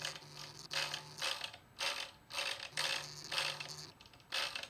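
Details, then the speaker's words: Datsun 280Z distributor, contactor backed all the way off: repeated bursts of harsh dry ratcheting as the distributor contact rubs on the reluctor while turning; owner unsure of correct point gap. "makes a hell of a noise and you take it out."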